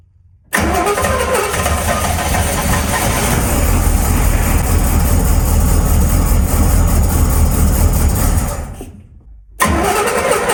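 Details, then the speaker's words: 1981 Chevy C1500, freshly cammed carbureted 350 small block, first start: fires right away, runs heavy and lumpy about eight seconds, then dies; flooded, wet spark plug, because the ungrounded choke didn't open and extra throttle was given. "So, definitely flooded it. And that would actually make sense because I totally forgot we still don't have a ground for our choke. So, as soon as this thing fired up, this choke should have started to open up and uh and it would have let it idle."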